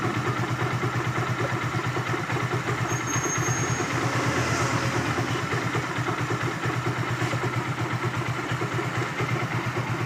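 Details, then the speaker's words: Hero Glamour single, engine rebuilt elsewhere, only about 400–500 km since: rough clattering rattle, roughly two beats a second, over the idle thump; the noise changes when the clutch is released. Clutch-side bearing noise. "इस type का sound ए रहा है engine से और देखिए दोस्तों मैं clutch छोड़ रहा हूं अभी साउंड ए जाएगा"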